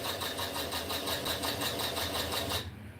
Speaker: and it's got the lifter tick as well you hear it